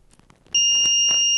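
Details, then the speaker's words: Continuous high-pitched beep and blink on a multimeter's diode test (EEVblog BM786, test voltage about 3.166 V, up to 511 µA), indicating a shorted diode. "ah beep and a blink if the diode shorted"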